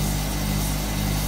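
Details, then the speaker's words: Hotpoint Supermatic De Luxe 9414 twin tub spin drum, new belt fitted so it is much faster and smoother: steady even low hum at full speed, no knocking or wobble; normal spin. "the spin speed on these are incredible"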